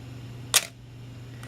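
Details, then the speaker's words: Canon AE-1 Program 35mm film SLR with Canon FD 1:1.8 lens, slow shutter speeds from 1/60 down to 1 and 2 seconds: sharp shutter click, pause, then closing clatter; normal slow shutter operation. "one sixtieth of a second one thirtieth of a second one 15 1/8 1/4 1/2 second one full second and then this camera even has a full two-second setting"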